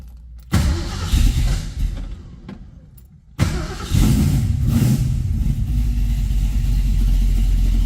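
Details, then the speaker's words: 1967 Ford Mustang V8, cold start after sitting 12 hours in showroom, no gas: catches, idle sags and falters wanting to die, dies with a little gas, restarts and steadies into uneven rumble; cold start stumble. "Not touching the gas. It's kind of wanting to die. I'm gonna give it a little gas. Oh, died."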